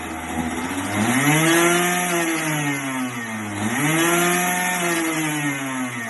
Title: KART First start after rebuild